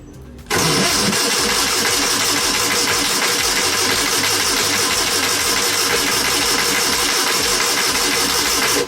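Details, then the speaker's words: Air-cooled VW engine, being cranked: steady starter churning for about eight seconds with no catch or firing; crank, no start, cause unknown. "really surprised we didn't get nothing out of it yet. Not even a bloop. No."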